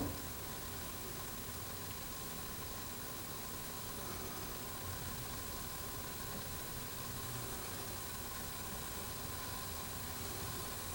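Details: Jensen #5 electric steam engine warming up with new gaskets, no water leaks: steady even sizzling hiss as boiler heats and builds pressure normally.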